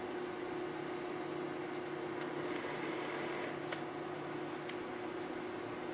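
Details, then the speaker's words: K&T plain No. 4 horizontal mill, saddle (Y) power feed running, all feeds and rapid working; quiet steady mid-pitched hum, no grinding, clatter or surging — normal, healthy feed gearing. "It sounds good too. And this would be for your knee elevation."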